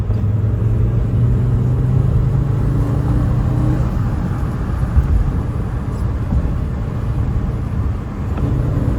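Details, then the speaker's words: Audi 90 B2 five-cylinder (136 hp), being restored as an Audi Quattro replica: a low, smooth, even burble holds steady outdoors with no ticks, knocks or stumbles; runs well. "Le bruit du 5 cylindres, la RS3 de l'époque. Ça marche bien. Ouais, ça marche bien."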